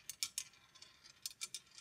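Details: Congreve clock after oiling the pivots and adjusting the escapement, running a half-inch stainless steel ball, cycling every 15 seconds: crisp light ticks in quick clusters of three about a second apart; running evenly and healthily.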